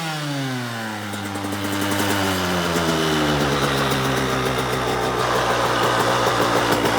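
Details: 2003 KTM SX85 two-stroke climbs from idle to a steady high buzz with a regular rattly tick, nearly four per second, from the gearbox area; it shifts fine, and the owner suspects gearbox damage or the clutch.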